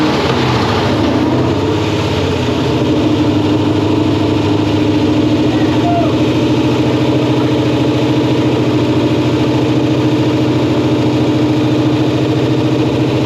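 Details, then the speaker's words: LS-swapped car, first start after wiring harness fixes, on a cold start: a very loud, steady idle held well above normal speed without settling; the engine is idling too high and needs to calm down. "You just got to get it to calm down a little bit because it's idling really high."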